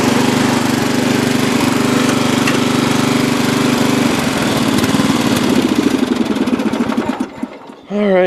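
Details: Free old Lawn Chief (Murray) riding mower, reportedly used last year and needing a tune-up: single-cylinder thrums steadily, then slows and winds down to a stop; runs evenly with no obvious knock.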